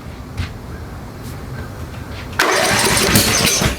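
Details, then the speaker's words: Snapper SR-Series 10HP Briggs & Stratton stored 10 years, new aftermarket carburetor, water and junk in fuel, started on choke: quiet cranking then a sharp bang as it catches and runs rough. Backfire on startup. "Oh, that's a backfire."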